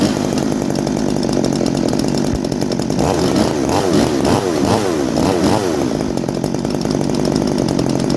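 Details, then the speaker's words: Farmertec G366 ported chainsaw, first start: 80° timing (160 duration), squish 21 thou, factory unmodified muffler; crisp strong two-stroke revving cleanly through quick blips and settling to a steady high buzz, sounds strong, normal healthy running. "But yeah, Dusty Sauce sounds really good. Sounds really strong."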